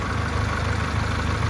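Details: Honda 2.2 four-cylinder (LX, front-wheel drive) at operating temperature after a valve job and rocker work done on the bench: steady, even low hum with no knocks, misses or surging; quiet, no check engine light; normal.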